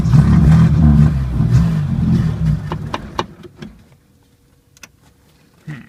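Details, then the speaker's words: 1980 Chevy Luv, carbureted engine barely run in years, started on jumped battery: catches with uneven lumpy beat a couple seconds, dies to ticking; won't hold idle. Owner finds carburetor trashed and plans to clean it; cause suspected. "yeah that carburetor is just trashed up well let me see about digging into it"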